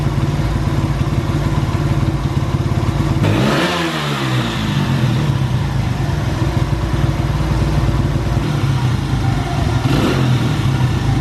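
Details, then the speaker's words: Honda XR100 single after hours of carburetor cleaning and tuning; revs up cleanly and settles to a steady even thump with no stumble or pop, carb now running right. "good Run's good Mission success"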